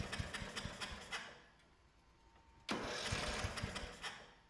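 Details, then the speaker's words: 2004 Craftsman (Murray-built) 30-inch mid-engine lawnmower, first run after the kill-system coil ground was disabled; single chugs in uneven pulses, fades, picks up unsteadily, not holding speed; owner suspects carburettor issues, plans carb cleaning. "all right well it started it ran doesn't sound too clanky um it's got some cover air issues we gotta sort through"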